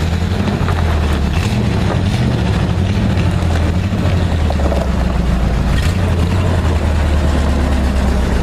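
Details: 1959 Chevy Viking 60 tow truck, just revived after about 12 years sitting, engine electrics reworked: deep, steady low rumble with an even beat, no knocks or misses; normal idle.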